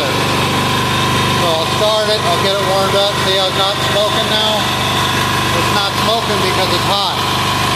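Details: Hot Amazon 186FA single-cylinder diesel idling on filtered used synthetic motor oil fuel; steady, even drone with no misses or knocks. Normal idle.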